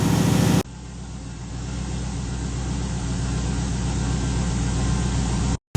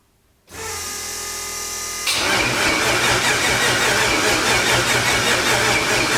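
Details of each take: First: RX-7 (990 HP) after cracked-piston rebuild, with throttle blade and idle adjusted down: steady, even idle with a smooth low thrum and no knocks or misses; normal idle, a little blow-by left, far better than with the broken piston. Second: RX-7 (990 HP) first start after rebuild following cracked piston: catches after short crank, runs harsh and uneven about five seconds then dies, not banging or popping; rough running caused by huge vacuum leaks on the backside of the engine.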